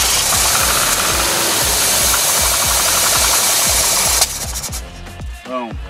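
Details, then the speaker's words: VW Westfalia camper van not started in 14 years, run on gas poured into the two-barrel carburetor, fuel line disconnected: fires with an even steady beat about four seconds, then dies as the fuel burns out; motor sounds solid. "that's as long as she's gonna run because that gas it just it it burns out so quick but uh that's it right there so the van runs"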